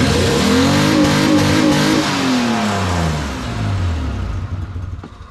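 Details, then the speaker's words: 1987 Ford Bronco II with manual transmission, in four-low, clutch released in any gear: engine revs freely with no load taking hold, no drive; clutch completely worn out and slipping. "i i can't i'm getting the gear and the clutch is released but the clutch won't engage yeah clutch is just completely wiped out on it no matter what i do"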